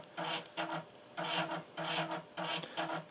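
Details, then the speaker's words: Commodore Amiga 1200 floppy drive loading the Project X game disk makes scratchy, rasping grinding bursts about twice a second with quiet gaps. The owner suspects the game needs the CPU caches disabled on the 1200; the cause is unconfirmed. "I'm not sure whether the 1200 actually plays Project X actually this might be one of those ones where CPU caches have to be disabled or what have you because this doesn't sound good to me"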